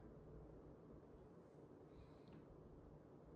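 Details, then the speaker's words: c.2025 Fanimation TorchAire 52 DC-motor ceiling fan on speed four (high): steady even rush of air with no ticking, rubbing or hum; running smoothly. "Go ahead and move it up to speed four. This thing absolutely flies on high, so I'm excited for that."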